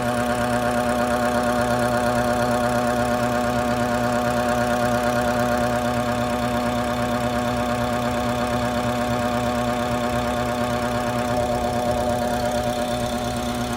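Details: BMW F10 535i N55 engine at idle: rhythmic ticking buzz, about three per second, over a steady engine hum; caused by a faulty boost control solenoid, and the noise was gone after it was replaced.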